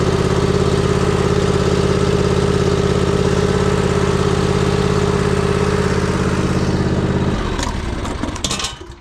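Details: John Deere Z355E mower started after an oil change: fires right up, settles into a steady, even idle with no misses or knocks, then shuts off cleanly. Normal idle.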